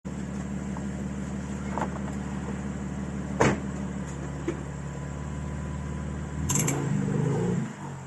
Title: M4 competition rear right clicking sound